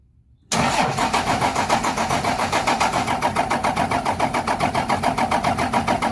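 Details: 12-valve Cummins diesel in a '75 International, just fitted with new injectors, lines tightened after bleeding: starter cranks evenly at about 3.5 beats per second but never fires. Owner suspects more bleeding needed or a bad pump.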